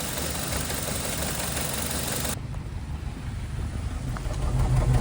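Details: 2005 Honda Element at start-up: low uneven idle that lurches and stumbles, shaking the whole engine; a bad misfire, the only stored code, which feels better when driving; cause not yet found.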